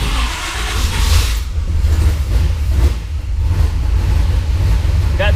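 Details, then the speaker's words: 1976 Pontiac Trans Am twin-turbo on Microsquirt, new idle air control valve fitted, stepper settings off: won't idle without about 4% throttle. Deep loud rumble with uneven low pulses; old idle air valve was not sealing, causing the previous 2000 rpm idle. "new uh idle air control valve in there, and it won't even idle unless I'm giving it about 4% throttle. I got to crack open the throttle blades now. So, that's definitely telling me that the old uh idle air control valve was not sealing properly."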